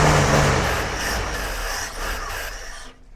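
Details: Jeep CJ5, in the family since 1983, not started in about 34 years. Engine turns over in a few weak bursts that never catch, then falls silent. Cranks but won't start; owner suspects it needs fuel flowing to it.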